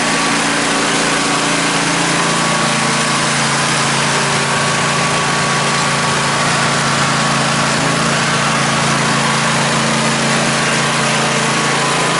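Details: Craftsman lawn tractor (917.272040, Briggs & Stratton) with 1994 Craftsman snowblower attachment mounted: steady, even single-cylinder drone with constant low hum, no knocks or misses; engine healthy.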